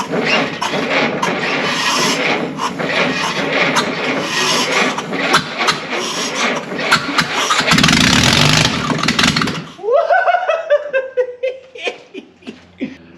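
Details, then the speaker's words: 1952 Willys pickup, off the road since 1991 with a seized engine, now freed: catches and runs with a strong, even exhaust beat for several seconds, then shuts down; engine running healthy. "holy moly it runs all you need is some compression"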